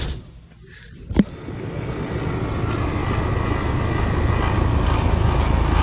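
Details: Outdoor condensing unit of a home HVAC system in New York: starts with a thump, then a low heavy drone builds and grows louder; the compressor runs noisily, cause unconfirmed.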